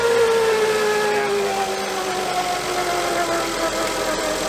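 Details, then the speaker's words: 2006 Volvo S80 T6 B6294T 2.9L, first start after a timing belt and water pump replacement: a steady mid-pitch howl from the timing cover over a smooth idle, suspected timing belt tensioner misalignment. "Hear that howling? It's coming from my timing cover."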